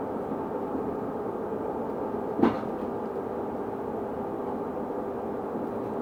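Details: Stagecoach London North bus SLN 82060 on night route N199 near Bromley Road/Catford: a steady tone holds one pitch over constant running noise, with a single clunk midway. Constant-pitch whine, source unknown.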